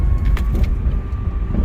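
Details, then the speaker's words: Honda Civic 2.0L while driving: a thin, steady high whine rides over the engine rumble, rising with speed and changing pitch with the AC on or off. Engine-bay whine; suspected pulley, tensioner, idler, AC or alternator, not confirmed. "You can see that whining noise. When I slow down, the whine is still there. Just keep whining. The faster I go, the high pitch, the whine that come up."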